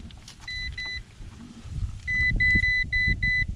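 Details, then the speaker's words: Garmin Striker 7sv fish finder on a Lowe 1436 jon boat: pairs of short high beeps, then a quicker run of five, when the loose transducer wire is barely touched; alarm reads "transducer is disconnected, sonar has been turned off". "barely touching it transducer is disconnected the SONA sonar has been turned off"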